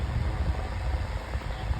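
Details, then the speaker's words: 9-inch Airtek high-velocity fan switched to medium, running noticeably faster and a little loud: steady low rush of air with soft flutter, no ticking or grinding; normal fan running. "It's going a lot faster on medium this time. Pretty I'm I'm surprised. It's getting a little loud."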